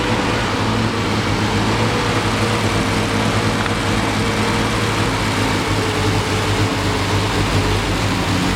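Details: 1973 Triumph TR6 six-cylinder, first start in 2 years during restoration: loud uneven idle, lumpy low beat, fan whoosh; rough running, owner thinks ignition too far advanced, also hears clicking.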